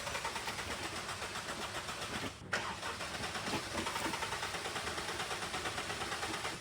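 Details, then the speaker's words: Car that was sunk in a lake, spark plugs pulled and checked for water, starting fluid sprayed in: steady rapid cranking with a couple of ignitions but it never runs; spark seems present, fuel suspected. Crank, no start. "Okay, that wasn't a full start, but that was promising because I heard a couple of ignitions, which is telling me that we are getting spark, but we may not be getting fuel."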